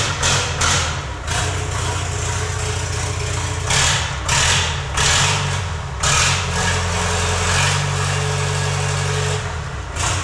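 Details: Late-1980s Lull Highlander 844 telehandler diesel after valve lash adjustment, muffler off: loud raw clatter, uneven idle with surging pulses; runs on its own but roughly, owner suspects the external pump timing is off. Rough running diesel.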